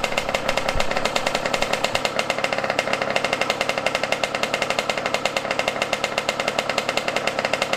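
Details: Yamaha YZ125 two-stroke, not fully warmed up on a cold 20-degree day, while the carb air screw and idle are tuned: rapid, harsh crackling with a buzzy, slightly uneven beat; rough running, owner blames carburetor after he touched it.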